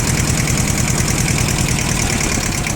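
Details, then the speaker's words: Iseki TS1610 rear-drive mini tractor, two-cylinder diesel, 1037 engine hours: steady, even two-cylinder chug at idle, no knocks or odd noises; normal idle. "Я думаю, слышно, что двигатель работает как двухцилиндровый, но при этом максимально ровно и максимально хорошо, без лишних призвуков."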